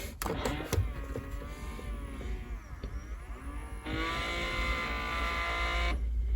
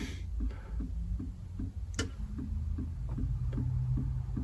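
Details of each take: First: 1999 Honda Odyssey HVAC mode door actuator after clipping a wire (owner suspects shorted rear defroster circuit shut down the control module): quieter actuator motor hums about two seconds as door travels, stops cleanly; working normally. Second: 1999 Honda Odyssey, HVAC control module lights blinking and blend doors not moving, actuators unplugged: steady relay clicking about four times a second from the lower fuse box, rear defroster relay trying to engage; defroster not working.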